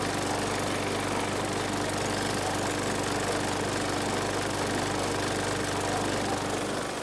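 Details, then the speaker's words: 2019 Murray push mower, 4.5 hp Briggs & Stratton 450E engine, after freeing the sticking linkage; steady, even buzz at constant speed, no stumbling or misfires; normal running. "okay no action I'm gonna come down here and move the uh linkage it did move for about three millimeters with some help Tommy time help"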